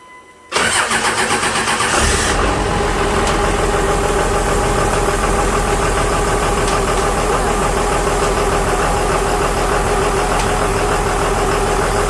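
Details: 2001 Cummins turbo diesel in a 1952 Dodge M37, first successful start: cranks, catches, rough idle with a thin steady whistle, likely from the A/C compressor, clutch stuck always on, blowing through open lines; clutch later freed.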